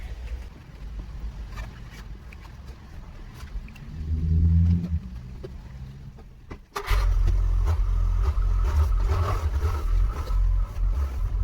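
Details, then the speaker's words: Rover R8 after gearbox refit, first drive out of yard: revs climb and hang high without pull settling as it drives off, then steady drone; clutch slipping badly, needed adjustment. "well you just saw it drive out and that's a lot more than it would do before but it's slipping slipping really badly which is a bit odd"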